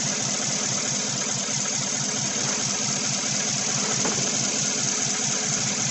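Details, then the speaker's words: 2016 Chevy Silverado 1500 with 5.3 V8 and code P0300, rough, lumpy idle about twice a second under hiss: cylinder 7 still misfiring, none on cylinder 3, coil ruled out, 7 sparking but not firing; fouled spark plug. "it says cylinder number seven still misfiring well that's because it's probably F and it's not breeding any misfires on cylinder 3"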